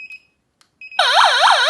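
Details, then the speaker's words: Solar wireless siren-strobe alarm with infrared beam sensors, tone changed with a key: a few short beeps, then a loud warbling siren sweeping about four times a second. Selectable siren alarm tone. "Okay, we we can also change the alarm tones by the by this key"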